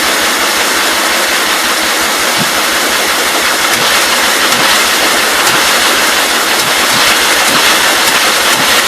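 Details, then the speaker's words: Free 1944 L project engine, attempted electric-cart start: loud hiss with weak, uneven pops as it tries to catch but never settles; bad fuel contaminating the carburettor, which needs to come apart. "So it's just got some really bad fuel problems."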